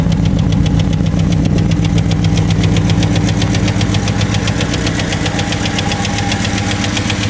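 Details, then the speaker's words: Chevrolet Cavalier at idle after fitting a used starter: sharp, even tick about four times a second from the front of the engine; owner attributes it to hydraulic lifters needing replacement, otherwise runs fine. "everybody seems to be running fine it's just the uh the ticking in the front and I'm going to replace those those uh lifters"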